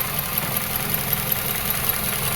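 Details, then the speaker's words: 2005 Toyota Caldina with code P0191, idling: a pronounced steady airy hiss over an even pulse from an intake vacuum leak. "there's a vacuum leak on this engine and it's pretty pronounced this engine is hissing"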